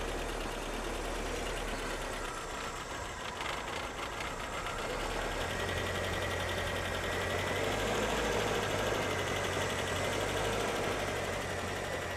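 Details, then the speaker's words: 1985 Ford Corcel (awaiting restoration) with CHT engine: steady, even idle with a soft, consistent rumble, no knocks or misses; engine running smooth and round, normal idle. "O motor CHT funcionando bem, redondinho."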